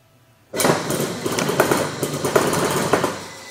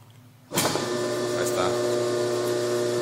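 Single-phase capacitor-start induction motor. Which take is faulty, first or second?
first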